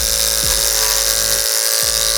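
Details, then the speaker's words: Hair clipper whose blade was sharpened on a block, cutting a chunk of wig hair: a high buzzing hum that drops in pitch and labours as it meets the hair. The blade drags and slows the motor but still cuts. "So it does work, okay? So you can hear it. Hear it slow down. But it is cutting it."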